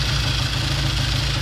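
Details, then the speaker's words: 1960 Triumph 350cc 3TA twin, started on second or third kick, good oil flow, charging, awaiting a new battery: deep steady low thrum with even pulse, no rattle or misfire; normal idle. "a new battery sounds really good got good oil flow we checked it a sweet little bike"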